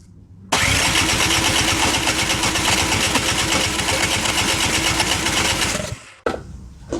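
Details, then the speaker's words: Canadiana snowblower with Briggs & Stratton 800 series engine, no-start complaint, choke open and quick-start sprayed: starter cranks about five seconds with an even churning beat but never catches because the ignition key was removed; no spark. "I forgot to actually put the key back in. You're not going to get any spark if the key's not in."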